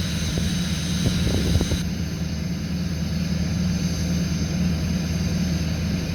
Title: 2005 6.6L LLY Duramax cold start high idle